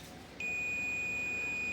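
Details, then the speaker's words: LG front-loading washer inverter module with short-circuit fault, diode removed from the shorted power supply trace and tested with meter: steady unbroken continuity beep both directions; diode shorted, to be replaced. "Dari hasil pengukuran ini fake untuk diodanya ini short dan coba kita lakukan pergantian untuk diodanya."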